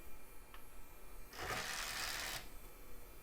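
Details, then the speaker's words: Toshiba CD-ROM drive in a late-1990s desktop: a loud rushing whir as the disc spins up for about a second, then faint ticking; horribly noisy but typical for the drive, and it works and autoruns. "Horribly noisy. That's very typical of a Toshiba drive. Sounds like it's working."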